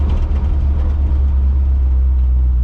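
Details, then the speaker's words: 1970 Dodge D100 after rear end swap, window down, lifting off throttle for the 2–3 upshift, which used to slam into third; steady low rumble with no clunk or bang, shift goes in smoothly. Normal 2-3 upshift. "But from my last couple of test drives in it, it's been smooth shifting into third, but I do still have to lift"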